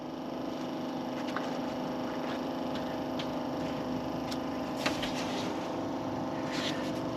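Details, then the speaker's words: 1959 Edsel Ranger with 361 Super Express V8, sat for years, wiring in bad shape: steady even whirring hum of the electric cooling fan running with ignition off; wiring fault suspected. "The fan's running. So, I have not turned the ignition on, but the fan the fan is running. You can hear it down there."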